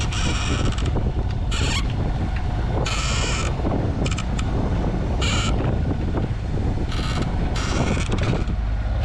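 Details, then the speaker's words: Moody 33S sailboat under engine into headwind: irregular high squeaks every second or two over engine drone and wind, from a rope knot sliding up and down the boom. "But when you're on a boat you have a chance to listen to things, and this squeak is driving me doolally."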